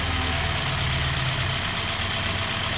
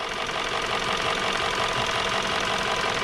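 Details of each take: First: 2017 Hyundai Sonata with a P0303 cylinder 3 misfire, traced to a bad #3 spark plug (coil swap ruled it out, fault moved with the plug), tune-up with new plugs: steady, even idle with a smooth low hum, no stumble or miss; engine runs cleanly. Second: 2017 Hyundai Sonata idling with an uneven, stumbling misfire on cylinder 3 (code P0303); swapping coils showed they were fine, and swapping plugs moved the misfire to cylinder 2, so the #3 spark plug was bad.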